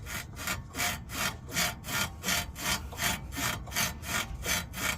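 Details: 1995 Nissan Maxima rear shock/strut and spring assembly, before replacement: body pushed by hand. Rhythmic raspy creak, two to three a second, rises and falls with each push. Possible fluid seen on one shock but none on the passenger side. Cause unconfirmed.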